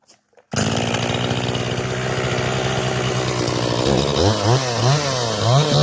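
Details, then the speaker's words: Echo 500P chainsaw after carburetor rebuild and carb adjustment: starts, settles into a steady idle, then revs up cleanly and repeatedly on the throttle without stumbling; normal running. "okay I finally got it back on there and uh got the carb adjusted out right"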